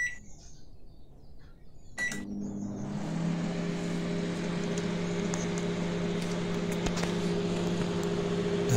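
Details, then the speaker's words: Microwave that was shorting and sparking, tested with the magnetron removed: a beep, then a steady low fan and turntable hum with no buzzing, crackle or arcing; runs normally without the magnetron, so the magnetron caused the short. "magnetron မပါဘဲနဲ့စမ်းပြမှာဖြစ်ပါတယ်။ magnetron ဖြုတ်ထားတဲ့ microwave လေးကိုနောက်တစ်ခေါက်ထပ်စမ်းပြမှာဖြစ်ပါတယ်။"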